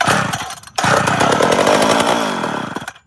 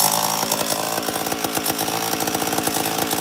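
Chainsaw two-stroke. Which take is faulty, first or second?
first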